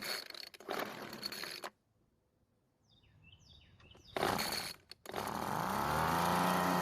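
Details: Weedeater leaf blower, recently bought, that wouldn't start: after some handling noise the two-stroke settles into a steady, even buzz near idle; it now runs fine.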